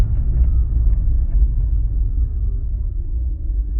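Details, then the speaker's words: 2004 BMW 325xi, 5-speed manual, first gear heavy acceleration on gravel road: deep low thumping driveline shudder, also in second gear; failed driveshaft hanger (centre support) bearing and centre universal joint. "first gear under load definitely a driveline view joint hanger bearing problem so we're gonna bring it back to the shop now and have a look at it one more time"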